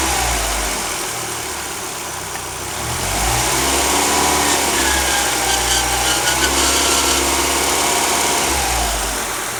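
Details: 2004 Mazdaspeed Miata: high, raspy buzz over the engine at idle, rising with revs; owner thinks it comes from the alternator, not confirmed.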